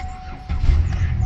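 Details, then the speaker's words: 2009 Buick LaCrosse after the crankshaft position sensor was replaced to fix a crank no-start. A brief crank, then it starts at once into a steady idle; a normal start. "Car turns right on. Engine sounds good. All good to go."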